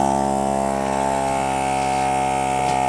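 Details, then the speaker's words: Kensun portable tire inflator powered from a Hulkman Alpha 85S jump starter, inflating a tire: steady buzzing motor hum with fast even pump pulse, no stumbling or grinding; running normally. "and you can see there's a little uh battery thing there with an arrow pointing out meaning that it's giving it power and it's uh inflating the tire pretty well with that ken some or however you say it a little portable pump"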